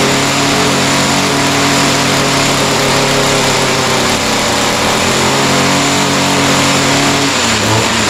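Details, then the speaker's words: Echo SRM-210 two-stroke trimmer after kit repair with new carburetor, primer bulb, fuel lines, air filter and slight carb adjustment: high, steady buzz holding speed cleanly then easing down without sputtering; starts easily and runs well. "oh all right so that sounds pretty good uh started fairly easily needed just a little bit of carburetor adjustment um but starts easy now runs good"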